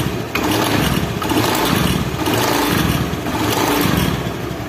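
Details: Honda Beat injection scooter CVT: rough, uneven clatter (klotok) over the running engine; the pulley bearing seat is loose from a bent shaft, so the CVT knocks.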